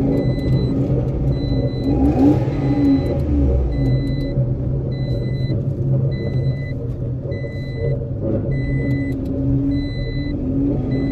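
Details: Citroen C1 three-cylinder budget track car, just running again: steady idle with a few smooth rev blips and a chime beeping in the background; normal running engine.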